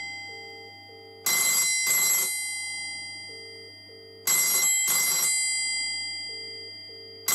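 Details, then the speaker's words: 1985 BT Special Range push-button Mickey Mouse telephone ringer demonstration: crisp, even double rings about every three seconds, a little clunky; bell ringer working properly. "so there we go and as you can hear it's a little bit clunky but it's definitely about"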